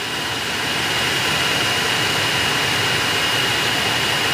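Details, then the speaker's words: Aftermarket ventilated seat cushion fans in Hyundai Aura CNG at speed 3, unoccupied seat, car on with AC blower switched on: steady airy whoosh with faint high whistle, even level, no rattles; normal ventilated seat fan operation. "तो यह जो ventilated seat है इन सीटों में जो fan लगे हैं उनकी नॉइस इस तरह से हम यहां आती है"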